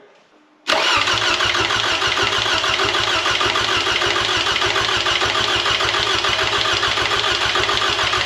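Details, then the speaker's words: 2007 Toyota Camry 2AZ-FE, freshly rebuilt for blown head gasket and oil consumption, crank sensor unplugged to prime oil: even starter cranking about three or four pulses a second without firing until oil pressure light goes off; normal priming crank. "we're going to unplug the crank sensor and we're going to crank it I'm going to crank it for like 5 10 seconds until I see that oil pressure light on the cluster go off"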